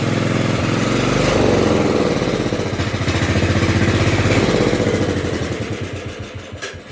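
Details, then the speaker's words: Kohler 16.5 in an LT1000 mower that only runs on choke: steady pulse slows and loses power as the throttle comes down to idle, then fades out and stalls; owner suspects something clogging the carburetor. "It dies, which means there's something clogging up the carburetor if it only runs on choke."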